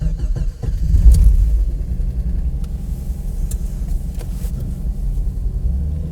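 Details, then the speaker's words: 1991 Jeep Cherokee XJ Sport 4.0-liter 5-speed idling in cold weather: steady low rumble with a rough puffing edge that doesn't smooth out; an exhaust leak. "I can hear that exhaust leak."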